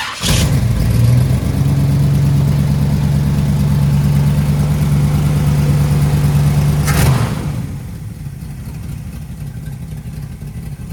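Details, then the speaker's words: V8, warm engine started on choke: loud start, then a lumpy idle with a puffing exhaust leak that the owner still needs to fix. "I'm gonna let you hear it I got an exhaust leak I got to fix this"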